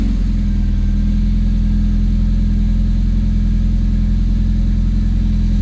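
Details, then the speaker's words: Fiat Punto HGT 1.8 16V VFD engine first start after fitting Colombo & Bariani camshafts meant for the Alfa Romeo JTS 2.0: light quick tapping over a steady idle, judged hydraulic lifter tick expected to fade once oil circulates. "Ainakin heti lähti käyntiin. Vähän kuuluu tuommoinen naputus. Tuo on ehkä normaalia. Joo, tuo on nostajien naputus tuo noin."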